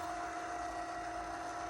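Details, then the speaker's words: Litter Robot 3 after refitting globe-to-base arms into their slots and back lips, test cycle: steady even motor drone, no clicks or knocks as globe turns past usual clicking point; rotation normal after fix. "obviously need to clean out my kitty litter box all right no clicking this is great"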